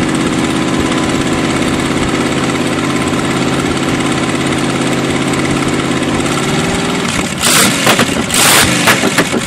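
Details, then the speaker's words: Freshly bought used Chevy 350 small-block V8 on an engine stand, running much better after work on number three: even idle firing on all eight cylinders, smooth low burble, a few throttle blips near the end; smokes a little. "better a lot better it actually sound like it's hitting on all eight does smoke a little bit"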